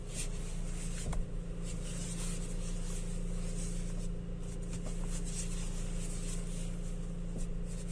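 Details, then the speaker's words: BMW X1 idling after steering repair: steady, even hum, no whine, groan or knock. Noise when turning left/right, felt through the wheel, cured by removing the steering, lathe-machining it and refitting. Power steering now quiet. "कोई noise नहीं है। पहले noise हो रहा था steering कटाने में और हाथ में मालूम पड़ रहा था। ऐसा कुछ नहीं है, सब सही हो गया।"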